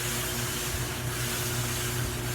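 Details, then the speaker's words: GE front-load dryer after repair kit (drive belt, upper bearing assembly, glides) installed: steady rumble with dull even scraping, no heat; owner pinpoints noise to glide bearings the drum rides on, not belt or motor, louder than before, no fix found. "sure enough this noise is not coming from the belt it's not coming from the motor housing down there i can pinpoint it too these slides the glide bearings okay call them but the surface that the drum actually rides on and that noise is louder than it used to be"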